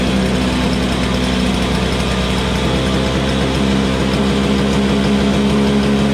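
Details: Troy-Bilt TB22 single-cylinder two-stroke weed trimmer, running after refuelling with 50:1 TruFuel; settles into a steady, even run with no misses or knocks; it just needed gas.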